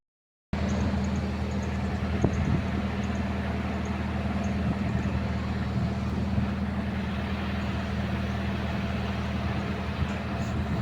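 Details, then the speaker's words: Hitachi excavator diesel after injector rebuild (injectors damaged by very dirty tank) for hard starting, low power, misfire: even, steady clatter at settled idle, no stumbling, misses or smoke; running smoothly again. "m y Ang ganda ng andar walang usok bumalik sa dati rebuild natin injector niyan low power hard starting"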